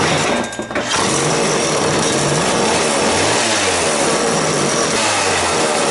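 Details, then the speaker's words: Vintage McCulloch 2-10 chainsaw after new rings, seals and electronic ignition, carburetor only adjusted: a high, buzzy two-stroke drone whose pitch hunts instead of holding steady. Rough idle; sluggish and hard to start, owner suspects the carburetor needs a kit. "all right like I said I think we probably needed to put a carburetor kid in this thing runs pretty good it doesn't Hales good as I like"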